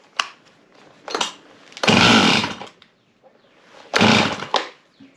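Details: Husqvarna 51 chainsaw after repair, restarted after cooling down: rasping cord pulls, then loud high-revving bursts as it fires and catches on choke; starts and runs normally.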